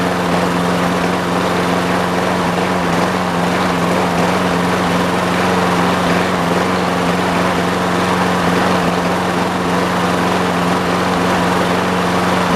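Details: Trash-picked Toro Super Recycler push mower with Personal Pace self-propel, year unknown, first start test without the air filter assembly: a loud, steady single-cylinder drone with buzzy vibration throughout, the engine loose on the deck and shaking; mounting needs tightening.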